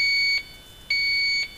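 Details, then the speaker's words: Viking Professional wine cooler with three evaporator coils, back plate removed, system pressurized to about 70–72 psi: two half-second high beeps from the leak detector picking up refrigerant traces. Unsure whether from an evaporator coil or freon-blown insulation. "okay i removed the back plate and i'm picking up traces and i'm not sure if it's coming from the evaporator coil"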